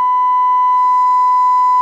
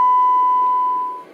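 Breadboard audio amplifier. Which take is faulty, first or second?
first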